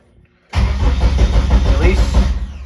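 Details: Eagle Talon with SRT-4 Eclipse swap on MegaSquirt: starter cranks steadily with a low churning beat, engine never catches; crank position sensor was fed 5 V instead of the 12 V it needed; crank no start.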